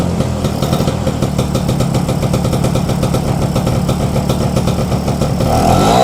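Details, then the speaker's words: Vespa two-stroke that was cutting out (ngempos) on the road, after cleaning the carburetor jets and opening the fuel tap: steady, even putter with no stumbling or hunting; idle now stable and clean. "Oke, Teman-teman. Mantap. Ini udah stabil ya."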